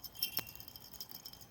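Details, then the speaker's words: 100 W light bulb recovered from recycling, shaken by hand: light tinkling clinks of a loose fragment bouncing inside though no hole visible; loose internal rattle. "celle ci je vois pas je vois pas de trous et pourtant elle fait un bruit"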